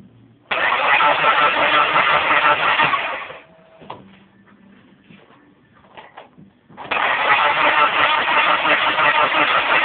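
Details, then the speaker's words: Deserra Turbo Talon with 420a turbo engine: two long bursts of even starter cranking about three turns a second, no firing or catch; cranks but won't start, owner has tried nearly everything, cause unknown. "This is the no start."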